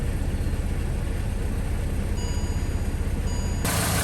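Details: 2013 Chevy Caprice PPV, L77 LS V8, after displacement-on-demand delete: deep idle with uneven, lumpy beat that never settles; rough running from the wrong cam reluctor gear, the 4x type was needed.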